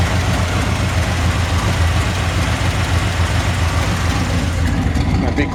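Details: 1964 Chevrolet C10 pickup with a V8 (possibly a '92 engine), Edelbrock parts, new water pump and a replaced starter that still drags slightly: deep, even V8 burble at idle with a steady lope and no knocks or misses; healthy engine.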